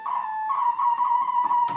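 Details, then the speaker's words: 1976 Octave CAT analog synthesizer, stored 25 years: held tone wobbles and drifts in pitch because the oscillator tuning potentiometer is dirty and needs cleaning. "you can hear how unstable the potentiometer is [Applause] so um that at first i thought my keyboard was still messed up but if the um tuner is in a dirty spot the the keys will sound bad"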